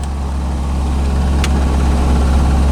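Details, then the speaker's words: 1985 C4 Corvette after fixing a no-start with no power, caused by the negative battery cable not making good contact: smooth, constant deep idle; battery charging, oil pressure and rpm good. "but now it's working and as you can hear running battery's charging oil pressure is good rpms are good"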